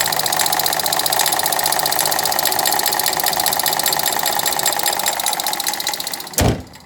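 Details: 2012 Ford Fiesta at idle, water pump and belt already replaced: fast, steady knock over an even idle at a constant rate; engine knocking from inside the engine, source not yet found.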